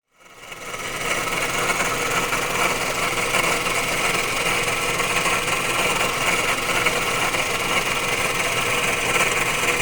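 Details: Failing water pump: steady harsh saw-like grinding and rattle over a running engine; the engine overheated easily, cooling once the radiator fan ran, and became almost silent after the pump was replaced.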